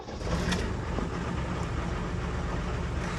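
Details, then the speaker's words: 1978 International Scout II, Nissan SD33 3.3 L diesel with added turbo, started after manual glow plug preheat: catches and settles into low, steady, slightly rough rumble, still a bit cold-blooded; normal cold start. "is a little cold-blooded still, but that's how we start a Scout diesel."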